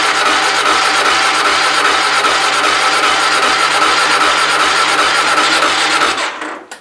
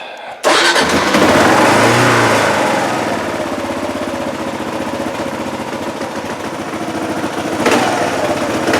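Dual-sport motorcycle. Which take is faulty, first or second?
first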